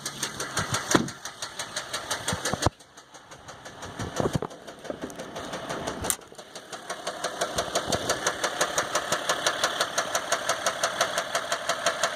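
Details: 2015 Dodge EcoDiesel with only 18k miles, knock began before second oil change, no check engine light, normal gauges and oil pressure, no power: sharp, regular knock about three times a second; deep internal knock, cause unclear.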